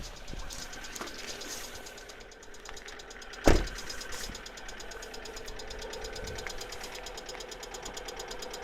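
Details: Alfa Romeo 147 1.6 Twin Spark 120HP: a light, fast ticking over a steady idle began two days after an oil change; changing oil did not stop it; replacing all 16 hydraulic lifters cured it after a 50-minute drive.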